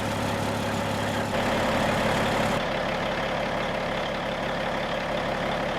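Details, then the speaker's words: 1995 Western Star with Cat 3406E diesel idling before exhaust replacement; raspy hollow puffing instead of a smooth low rumble from holed pipes and mufflers and a sheared flex pipe. "it's louder than without any hold but it's not a you know it's not a smooth low rumble um you can tell it just sounds a little off"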